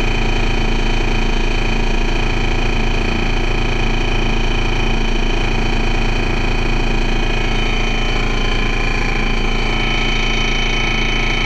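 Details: First Manchester Dennis Dart SLF bus 40366 (R240SBA), diesel engine with a really bad rough idle: uneven, lumpy throb of about four pulses a second.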